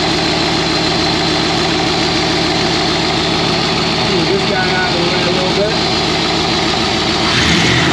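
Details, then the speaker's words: Ford with 4-barrel carburetor, after cleaning sticky throttle slide linkage: steady even V8 idle, smooth low rumble, no misses, knocks or stumbles; sounds healthy. "there we go [Music] get started well uh she sounds good i'll go ahead and take a look under the hood"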